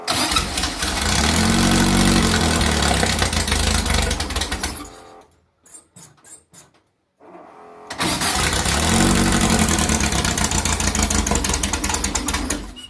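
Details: 2332cc VW bug (Dust Buggy), cold start after carb cleaning, before mixture screws set: revs roughly, stumbles and nearly dies, then picks up with uneven missing beat; misfiring.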